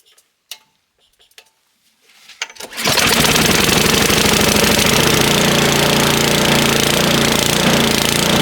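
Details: Snowblower started after sitting all summer. A few pulls and pops, then the engine catches and holds a loud, steady, even run: normal running.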